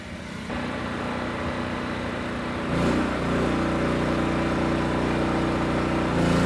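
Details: Generac LP3250 propane generator, about 7 years old, after regulator repair: steady even drone under electrical load with no hunting or surging; healthy.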